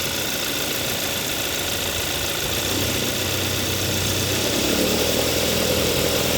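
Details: 2014 Hyundai Sonata 2.4L GDI, rattle at about 1000–1500 rpm when pulling away in gear, from passenger side: fast metallic rattle about three per second over steady hiss. Replacing the belt tensioner didn't help; stops with AC off, so AC compressor.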